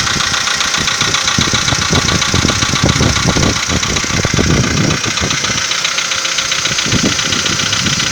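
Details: 2015 VW Polo Sedan on a cold morning start: the idle carries a busy, fairly quick ticking knock, about three to four per second. Owner is unsure whether it is piston knock. Cold-start engine knock.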